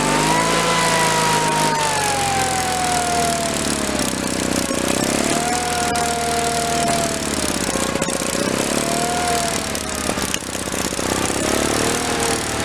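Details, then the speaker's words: 1985 Case Ingersoll 448 Hydrive garden tractor, Onan B48M/B38M twin-cylinder: engine catches and runs steadily while warming, speed wavering slightly, no misses or knocks; fuel delivery restored, normal running. "can let it run for a while and warm up while I put the rest of my tools away. I think we're going to have a win here."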